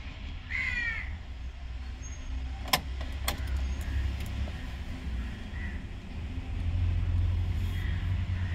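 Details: Tata Ace Gold BS6 diesel, previously would not start after being run without DEF (SCR/urea quality sensor faults); after refilling DEF and clearing codes with a scan tool, no warning lights: even, steady low idle rumble, no knocks or misses.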